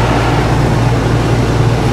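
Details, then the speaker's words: Whynter ARC-14SH 14,000 BTU portable air conditioner, cooling mode with the compressor on. Noise barely differs between the three fan speeds, about 67–68 dB. Steady, even low hum with constant fan rush, no rattles or cycling. Normal running. "a cooling mold is a difference in noise level between the three fan speeds is three not very noticeable when the compressor is on"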